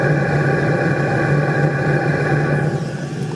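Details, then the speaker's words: VEVOR 2 kW diesel heater with CO sensor, installed in a van, outdoors, microphone near the exhaust muffler at startup: loud, steady rumbling blow at full capacity with no misfiring; normal startup exhaust noise. "now I am also approaching the muffler, you can hear how loud it blows when it starts"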